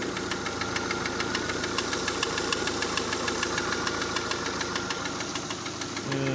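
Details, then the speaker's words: Citroën C3 engine, just started. No knock at first; a second later a sharp ticking knock about three per second appears and follows engine speed. Valve screw adjustment didn't help, and a stethoscope and removing the belt haven't located the source. "сначала заводится на первый момент заводки стука нет потом через секунду вот он появляется"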